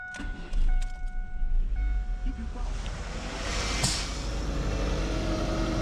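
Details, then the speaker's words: Starter cranking during a battery and starter test on a scope, about 166 A draw, voltage dipping near 8.5 V, 700 CCA battery: steady, even churn with no grinding; starter and battery healthy. "keep that sorter motor and prank spinning and it's not noisy it's clean so I would say the sort of motors healthy batteries healthy"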